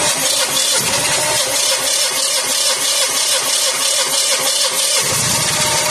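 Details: Pre-Nexus generator after no-start repair with new batteries, terminals and starter, choke plate checked: catches and settles into a steady, even run with no misses or knocks; running normally.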